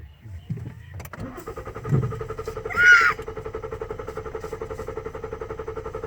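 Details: 2014 Ford Taurus Limited cranks but won't start: the starter spins the engine with an even, quick chug for several seconds but it never catches; the fuel pump module had failed and was replaced.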